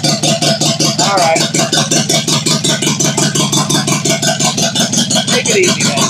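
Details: 1972 Celica with JDM 18RG twin-cam swap, first runs with choke pulled and no coolant: choppy uneven pulsing about three beats a second with a harsh rasp; engine running rough.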